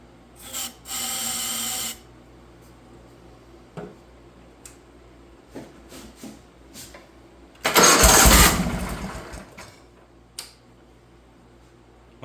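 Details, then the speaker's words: Wheel Horse 416 Hydro, 16 hp, sat outside two years, dirty air filter, carb cleaner sprayed in: quiet cranking clicks, then one loud sputtering burst as it fires and dies; compression and spark confirmed, fuel supply suspected. "she fired that's good enough we know that it's got compression it's got Spark"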